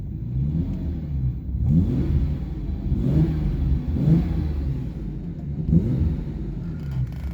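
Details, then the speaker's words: 1989 Jaguar XJS V12 coupe with straight-through stainless pipes replacing the rear silencers, heard from inside the cabin with windows closed: deep, smooth rumble swells cleanly on several blips, no knocking or exhaust leak; normal rev. "Sounds really good. Um particularly above kind of 2,500-3,000, and particularly in first gear up at 4,000-5,000, that's the exact V12 noise I'm after."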